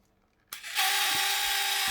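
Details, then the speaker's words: Vintage 1984 Tamiya Mitsubishi Pajero RC car on first power-up: harsh, high buzzing grind with a steady whine from the servo, like a worn or binding servo gearbox; steering moves too far, no drive. "Oh, that does not sound nice at all. That does not sound good at all."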